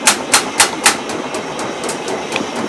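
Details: GE Profile washer/dryer combo just after a technician replaced the door seal gasket: sharp, heavy bangs about four a second as the spin starts, fading to lighter taps, while the machine shakes. Knocking or rattling on spin-up, new since the repair.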